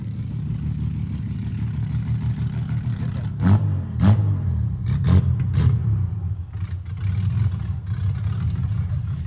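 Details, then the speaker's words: Widebody BMW E30 on MegaSquirt ECU, first test drive in 2 years: deep uneven drone with sharp bursts and stumbles as revs rise; owner says it has tuning issues; rough running under acceleration. "i know it sounds really crazy but and it has tuning issues but it's so great this is perfect"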